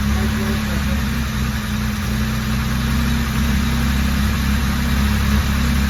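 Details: Jaguar E-type Series 2 after a complete rebuild, first start, at a fast cold idle. A steady, even low rumble with no knocks, misses or ticks; the six runs smooth and healthy.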